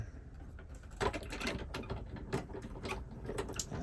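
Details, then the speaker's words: Hand-cranked die-cutting machine running a card die through at a slight angle; steady cranking with light gear ratchet ticks and no hard thump at plate edge; smooth normal pass. "going to run through the other side this time I will give that little angle that i' been speaking about to avoid the speed"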